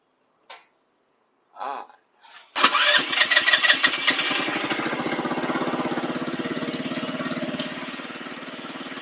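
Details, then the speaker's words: $300 buggy small engine, carb tuning with 110 jet and needle at very bottom, previously running lean: after a few tries catches and runs with slightly surging, uneven beat before settling, looks jumpy; uneven running, mixture not yet right. "so uh I don't know if you guys saw that but it looked like it kind of kind of a little jumpy maybe"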